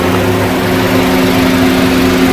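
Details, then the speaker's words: 2009 Honda Civic with AC compressor clutch not engaging, relay circuit testing: relay refitted and condenser fan switches back on over idling engine, steady even whir and low hum, no rattle or scrape; normal condenser fan operation. "put it back to him was you'll hear the fan turn on again is on again"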